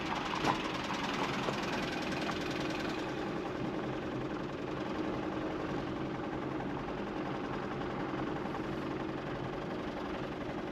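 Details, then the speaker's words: 2016 Mazda CX-5, blown engine: heavy uneven knock, roughly one beat per second, under rough idle; textbook bottom-end rod/main bearing knock, engine catastrophically damaged. "So, this is a textbook rod knock. This is a bottom end main or rodbearing knock. This engine is catastrophically damaged."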